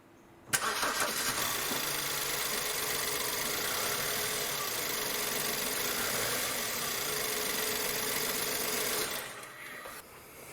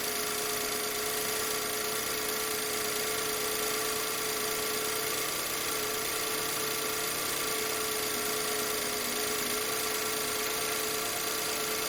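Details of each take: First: 2008 BMW E90/E91 318i petrol starts and idles unevenly with a lumpy, stumbling beat; misfire on three cylinders, fixed by replacing spark plugs and coil packs. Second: 2008 BMW E91 318i after new spark plugs and coil packs: smooth, even idle with a steady hum and no stumble; misfires gone, all cylinders firing cleanly.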